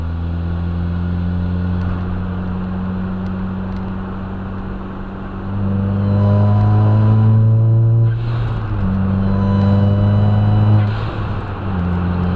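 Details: After installing a 2J front-mount intercooler, at full throttle above about 8 psi boost, recorded on a dash cam: the engine pulls hard with a loud, horn-like trumpet drone rising and falling with each gear. A boost-pipe leak is suspected, not confirmed.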